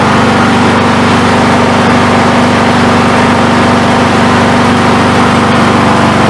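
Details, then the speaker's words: MTD mower, Briggs & Stratton Intek 17.5 hp engine after carburetor replacement: steady even low idle with no surging or misses, no leaking past the needle seat; runs smoothly, normal idle. "it's running a lot better he'll actually idle head a low rpm we're all smoothly and it's not leaking by the needle at all on the old seat"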